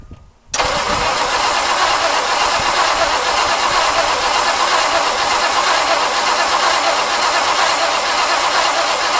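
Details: 1959 Mercury Monterey asleep a decade, fuel and water pump issues fixed, cold weather, carb not primed: steady even cranking, fast regular chug about four beats per second with no catch yet, waiting for the fuel pump to fill the filter.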